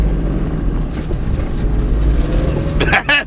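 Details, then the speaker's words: Honda Insight after repairing broken transmission mount with windshield resin: hard launch in first gear to 4,000 rpm, deep strong pull with no clunk that was present before; mount appears fixed. "I don't hear it at all all right we're first gear 4,000 RPM [Laughter] oh my God all right well I guess that's totally fixed"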